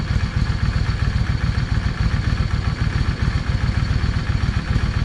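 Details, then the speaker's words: Yamaha V Star 650, still cold, after air-fuel jet changed from 22.5 to 25 and old needles removed: even, steady V-twin lope at idle with firm low thump, no hesitation, misses or clatter; normal idle. "Y'all hear the difference in that? No hesitation. And that was going from a 22 and a half airfield jet to a 25."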